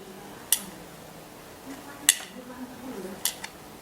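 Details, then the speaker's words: Pressure cooker lid valve tilted by hand: three crisp metallic clicks over a few seconds. The valve drops freely and isn't sticking. At low pressure it lets steam vent through the hole. "Nah, perhatikan bahwa di sini ini ada katup ya kawan. Dalam posisi seperti ini, nah kalian dengar ya, ada suara klik."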